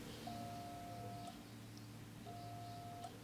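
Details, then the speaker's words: Single-phase motor connected straight to mains without starting capacitor or auxiliary winding: steady low hum with no run-up, the motor buzzes but won't start on its own, though the shaft turns when spun by hand. "Nah sudah saya colokan ke listrik PLN namun motor ini hanya berbunyi berdengung"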